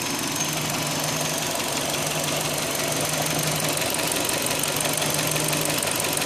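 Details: 2005 Hyundai Elantra running, just after owner tightened the timing belt: sharp light knocking, about three per second, over steady engine hum; was present before but less prominent, source not pinned down.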